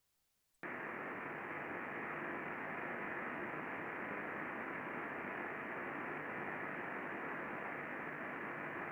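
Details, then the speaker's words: VFD-controlled motor bearing heard through an ultrasound probe before greasing: steady, loud rushing friction hiss above the VFD whine; under-lubricated, and greasing cleared the signal and dropped dB levels. "So we can still kind of hear that kind of whine of the VFD in the background, but there's considerable amount of friction."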